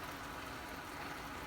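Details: Roughly 60-year-old army mountain stove (owned since 1972), first run in about 15 years, heating a cup of water that is starting to steam: steady, even rushing roar with no sputter or pulsing; normal clean burner roar.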